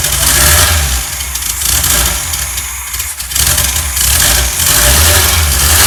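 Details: Freshly rebuilt 1600 air-cooled flat-four for a 1965 VW Beetle, timing set, choke working, a little fuel hungry, fitted with an old header, probably 1979-80: crisp, even exhaust note rising and falling cleanly with revs, no misses; normal running.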